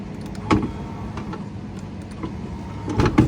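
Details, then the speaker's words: Mercedes Econic truck driver's door window motor, ignition on, window won't shut: motor whirs under loose knocks and clatters, heavier at start and end of travel; motor works but isn't secured, moving around inside the door. "mot's working but it sounds like it's all dropped a bits inside so we'll take door card off and then have a look"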